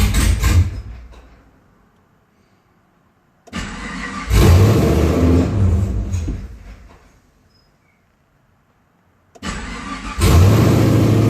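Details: 2010 Camaro SS after engine install: short burst of cranking, engine catches and flares then fades, attempt repeats; hard starting.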